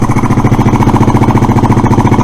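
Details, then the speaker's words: Suzuki Address scooter, after unblocking fuel valve, running without air filter: quick even single-cylinder putter about twelve beats a second; idle probably set a little too high, cause suspected, not confirmed. "put it all back together I've probably got the idle set a little too high but unless you put an electronic attacker graph on the HT wires you can't tell"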